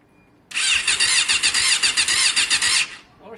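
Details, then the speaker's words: Yamaha Fazer FZS 600, first start attempt after carb work, fuel tank nearly empty: high whirring starter spins the engine evenly and quickly for about two seconds without catching; cranking sounds healthy, just lacking fuel. "Oris, it's got no gas. It sounds quite healthy. It's got no gas."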